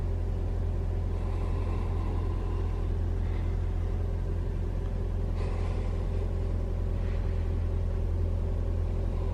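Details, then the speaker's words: 2021 Toyota RAV4 Prime SE cold start in hybrid mode on a cold day, cabin heat on: steady low engine rumble with an even beat, no heat-pump whine or hum; valves audible while cold; normal engine run. "All right, so my Rav4 Prime doesn't make any noise when you start it up cold. in hybrid mode."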